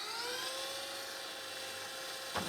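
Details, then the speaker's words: Panasonic PV-VS2841 S-VHS VCR (2003): fast forward with the tape threaded gives a smooth, steady high whir with a faint motor tone and no shriek; normal transport. "that's working cool it's quite amazing how fast this is going with the tape all threaded through there isn't it"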